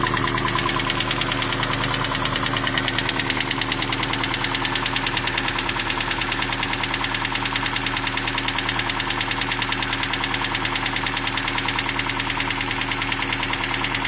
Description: My 1992 Toyota Hilux is making a clicking noise... / The Engine is a 22R...